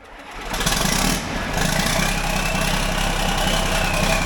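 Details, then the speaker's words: John Deere 4640 tractor diesel, cold start after sitting a while, during radiator repair: catches within a second and settles into a steady, even idle with no stumbling, less fuss than usual, normal cold start and idle. "it didn't even act like it's cold it's been sitting a while normally it carries on more than that"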